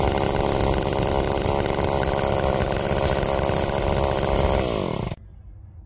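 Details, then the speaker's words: Roadside-found Homelite chainsaw after carburetor rework, cold-started after sitting, cutting wood: steady high two-stroke buzz holds speed through a five-second cut, then drops off cleanly. Chain oiling well; owner suspects slightly rich running, bogging in larger logs then recovering. "that was a pleasant surprise a nice little machine and cut really well actually the chain is wet so it's getting oiled nicely"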